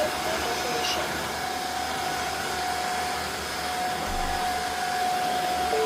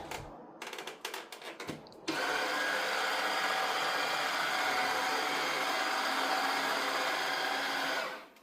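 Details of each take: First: Tineco Floor One S5 wet vacuum, reassembled after repairing a suction motor that wouldn't run: smooth, steady high whine at constant pitch, no rattle or surging; suction motor now running normally. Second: Tineco Floor One S5 wet vacuum showing an error with no suction: steady whirr of the brush roll motor alone, with no suction roar behind it; the suction motor isn't running.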